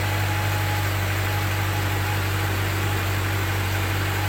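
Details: Car with dead battery jump-started from a donor car via jumper cables: steady, even idle hum with a smooth beat and no misses or knocks; the engine runs fine after the jump-start.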